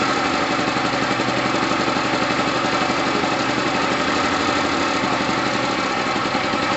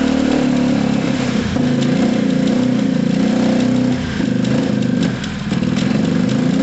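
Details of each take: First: Gilera DNA 125 two-stroke, which had sat a while and needs loosening up, idles with an even, buzzy beat and no misses, knocks or rattles. New fuel line fitted; heavy oil premix. Normal idle. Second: Gilera DNA 125 scooter idling low and lumpy, revs sagging and hunting, not taking any revs; a loose rear brake pad rattle is also audible. Rough low idle.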